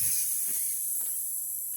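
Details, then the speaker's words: Stihl Dirt Boss 2700 psi pressure washer, water supply on, engine not running: soft, steady high hiss as trapped air bleeds out of the hose before start-up; normal purge. "all right so we're gonna let that run and this will help kind of purge the system of air this is before i even turn the pressure washer on"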